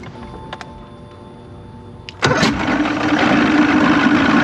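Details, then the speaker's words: 1993 Evinrude 90 HP V4 two-stroke outboard with spark confirmed and a firm primer bulb: near silence, then it catches on carb spray and roars raggedly for a couple of seconds before dying; fuel starvation, not getting fuel. "See if it It's definitely not getting fuel."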